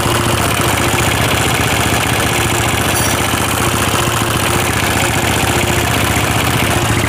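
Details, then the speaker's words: Honda CB/GL motorcycle, rough top-end clatter from the left over an unsteady idle after valves were recently adjusted, louder when revved; cause found to be worn camshaft and rocker arms. "kita gas rasanya gimana coba kalau kita gas malah kayak suaranya itu tambah Ya tambah kenceng jadi pada waktu ditarik ditarik itu tambah ada suara ketukan lebih keras"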